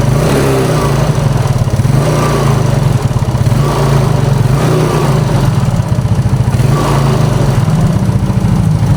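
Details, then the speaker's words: Used Yamaha Mio carbureted scooter with weak power; engine thumps unevenly, and the pinging gets louder as throttle is applied; mechanic points to rocker arm and camshaft area. "Nah, terus suara ngelitiknya itu pada saat ditarik gas itu, jadi suaranya makin kenceng ya."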